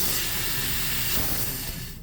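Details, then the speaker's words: Truck PTO/dump control valve on the end-dump tower: a loud, steady hiss of escaping air, draining the air tanks. Air lines show no leaks; the seal inside the control valve has failed, so the control arm unit needs replacing. "There's no leaks on those, but it's the seal inside of this the seal inside of this thing's busted or went out."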